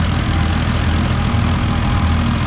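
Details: FG Falcon turbo trayback ute with factory-based Barra turbo engine, idling, on 91 octane fuel; smooth, even low idle with a steady beat and no knocks or ticks. No fuel line leaks, transmission good; normal idle.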